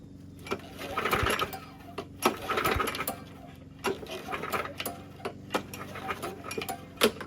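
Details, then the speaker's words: Craftsman self-propelled mower engine, not locked up: each cord pull spins it over freely and quickly with no compression resistance or firing; zero compression, likely from never changing or checking oil (nothing on dipstick), fresh gas in it. "Zero compression in this thing. Likely because its prior owner never bothered to change, let alone check the oil."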